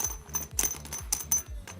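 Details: Bag with noisy metal zipper pulls, before the fix: bright irregular metallic clinks, about three a second, as the pulls knock against the sliders; silenced by replacing the pulls with heat-sealed reflective cord.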